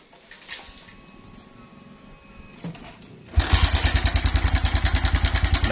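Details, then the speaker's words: Suzuki Verza at idle, before repair: the engine fires and runs with a coarse, clattery rattle on every beat from the cam chain and tensioner; stretched cam chain with a worn tensioner. "ya sahabat semua kasar sekali suaranya ya kasar sekali suaranya"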